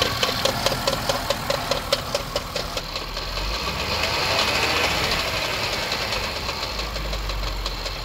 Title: 2015 Land Rover Range Sport SE 3.0 Supercharged making knocking noise warranty inspection